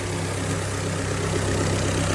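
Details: 2001 Ford Fiesta petrol engine idling with a low, slightly uneven hum; no warning light or stored codes, cylinder one found misfiring, cured by replacing spark plugs, coil pack and leads.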